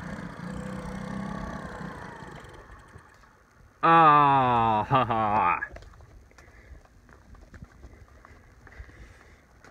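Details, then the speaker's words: Cheap Chinese moped being revived on a cold day: the small engine catches for under two seconds with uneven revs, stumbles and dies; the owners suspect a gas problem, probably flooded, not confirmed. "out of gas or what? I don't know, gas is definitely an issue. It's probably flooded out."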